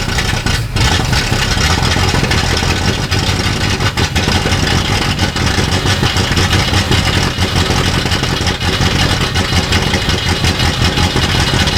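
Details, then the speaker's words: Sixties Ford Galaxie project V8 with loud open exhaust, just started with the throttle worked while in gear (rear wheels spinning). It chugs unevenly and sluggishly with a deep burble, sounding lazy; retarded ignition timing and over-rich carburetor, needs more timing. "That don't sound good. It just sounds really lazy. Let's give it a little timing."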